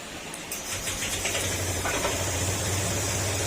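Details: Honda Click 125 V3 scooter with 47,482 on the odometer, after a top overhaul for a blown piston and bent connecting rod, fires up and settles into a steady, even, quiet idle with no knocking or clatter; normal idle.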